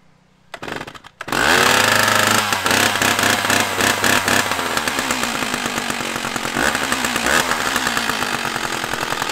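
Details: Stihl 056AV chainsaw after Bosch ignition replacement, cold from the garage (the old ignition cut out after 3–4 minutes warm): catches after a couple of pulls, then revs up and down cleanly without stumbling. Healthy cold start and revving.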